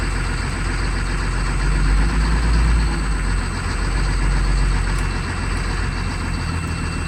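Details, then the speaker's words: 2004 Blue Bird Vision school bus, 7.2L Caterpillar C7 210 HP diesel, cold started at 23 degrees with jumper cables. A deep, steady, even idle with no misses or knocks. Healthy cold idle. "Definitely love the sound of a good cold purring Caterpillar."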